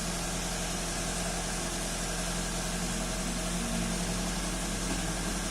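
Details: 2005 first-generation Toyota Avanza at idle after repair of EFI trouble, scanner showing no faults: smooth, even idle with a steady low drone, no misses, ticks or knocks; engine running normally.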